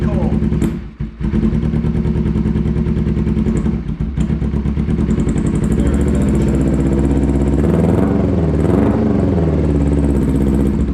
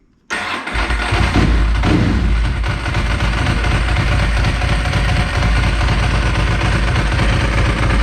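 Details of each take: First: Kawasaki Ninja 250 honest cold start, cranked with no throttle, in neutral with the clutch pulled. Chuffing dips and nearly dies a couple of times before steadying; normal cold-engine behaviour. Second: Kawasaki Ninja 250 cold start, choked, battery reading 12.2 V and worn from many deep discharges: sluggish cranking catches within a second, then a steady, slightly lumpy low idle. Slow cranking from a weak battery.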